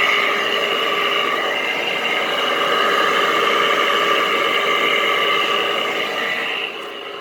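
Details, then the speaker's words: 2010–2013 Frigidaire window air conditioner with a Toshiba compressor and Welling fan motor, left outdoors at least 3 years: steady high whine and growl over the airflow from horribly worn fan motor bearings. "There are actually still Frigidaire units in my neighborhood that run with horrible bearings just like this. Dang, this thing sounds like a Sharp. It really does. That's how bad it is."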